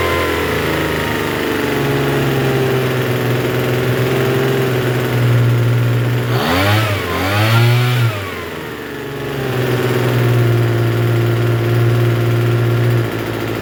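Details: Troy-Bilt TB272V two-stroke leaf blower after turning the single-D carburetor mixture screw out about one and a half turns: fast steady idle buzz, brief rev dropping back to the same raised speed; runs but idles a little high.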